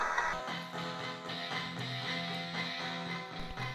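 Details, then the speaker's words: Gaelco World Rally (1993) JAMMA arcade PCB after audio-section repair: game music plays clearly at the right speed, with no hiss or background noise. Amplifier and capacitors are fine. "Côté amplification, rien à redire, il n'y a plus de bruit parasite, plus de sifflement, les condensateurs sont impeccables."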